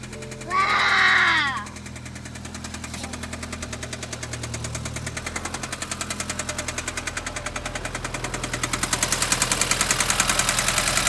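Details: 2013 BMW 320i with N20 engine after start-up: loud, sharp, even tick about three to four times a second that quickens as revs rise; source unknown.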